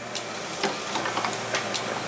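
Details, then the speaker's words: Machine won't start after switch-on: sharp irregular relay clicking, about five in two seconds, over faint hiss with no motor spinning up; owner worries the relay coil may be burnt out and plans to check coil power with a multimeter. "it's on and it's not working what have I done wrong it's clicking the relay is clicking why isn't that working"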